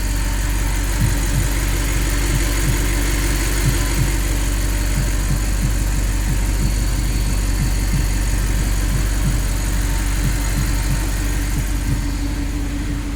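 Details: Audi R8 after a no-crank, no-start fault was repaired: steady, even low idle with no misses, knocks or hunting; the engine settles and runs smoothly, a healthy normal idle.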